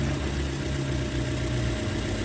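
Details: Engine idling with A/C on a variable displacement compressor system, radiator fan cycling on and off as high side swings roughly 120 to 140: steady, even idle with low hum, no knocks or misses; A/C operating normally.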